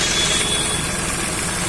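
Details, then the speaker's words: Hyundai Xcent diesel after the failed ECM was diagnosed: short idle with even clatter and a steady rhythm, no knock or stumble, no white smoke. Normal smooth idle. "तो आप देख सकते कोई भी smoke नहीं है इसका वाट smoke का भी प्रॉब्लम सॉल्व हो गया और इंजन भी स्मू है"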